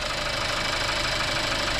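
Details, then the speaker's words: 2018 Skoda Octavia 1.5 TSI (about 110 kW) before repair, noise on throttle: light, fast metallic tapping over steady idle from turbo side, then thought near timing; worn wastegate actuator rod linkage rattling with play. "najpierw Wydawało mi się że gdzieś to tej okolicy będzie ten dziwny dźwięk A teraz znowu tak bardziej albo to gdzieś w okolicy rozrządu"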